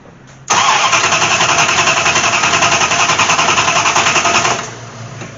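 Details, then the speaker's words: Dodge Aspen with MSD ignition and rat-nest wiring, sitting nearly six years, no fuel: steady cranking at about 3.5 beats per second for four seconds, never catching; owner suspects water is preventing spark; cranks but no start. "I'm guessing probably with all that water that she ain't sparking"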